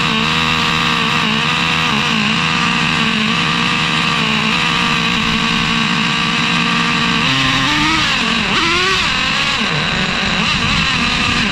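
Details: Traxxas Revo 3.3 nitro with new THS tuned pipe, run very rich and a little cold, untuned: high-pitched engine runs steadily then stumbles after shifting to second gear, starving for fuel.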